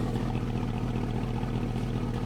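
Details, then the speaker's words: Porsche Cayenne Turbo after reassembly, cold in echoey garage: smooth even low burble, steady rhythm, no knocks or misses, expected to settle leaving open loop. Normal idle. "It's echoey in here of course, but I'm telling you that's normal basically. And it will settle down a little bit in a second when it comes out with open loop."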